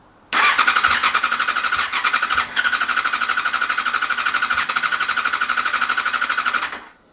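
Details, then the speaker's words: Yamaha FZ6 Fazer S2 with "new" ECU, cranked after easy start sprayed into the throttle bodies: fast, even starter whirr for about six seconds with occasional stutters, almost catching but never firing; owner suspects fuel problem or unclean plugs. "interesting so it almost started and now I've got low instead of high clean it may not be starting cuz it simply hasn't got full plugs in decent condition that are clean and good to go"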